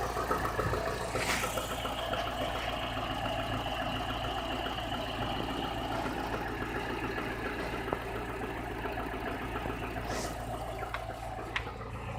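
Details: Chevrolet Niva engine at 45,000 km mileage, idling: irregular light ticking knock about three to four per second over steady hum, progressively worsening since about 30,000 km; head replaced under warranty, source unclear; engine knock.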